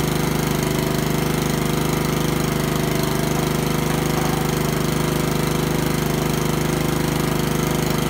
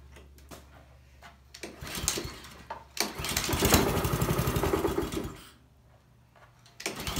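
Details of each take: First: Honda lawnmower after a tune-up, with the carburetor cleaned twice: a steady, even single-cylinder chug at constant speed with no misses or surging; the engine runs smoothly. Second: Honda walk-behind lawnmower during a tune-up, after an oil change, new spark plug and blade check: the engine rises and falls in waves instead of holding a steady governed speed. It surges at full throttle and dies when slowed, so the carburetor is coming off.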